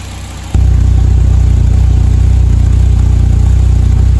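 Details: BMW M3 E30 S14 engine after ignition overhaul with coil and new spark plugs: catches cleanly and settles into steady even idle with no misses, curing rough running and hard starting — normal idle.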